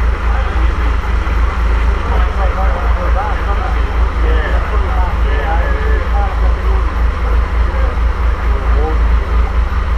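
Deep, even low thump at about four per second with no knock or miss; the six-cylinder is running smoothly at a steady speed.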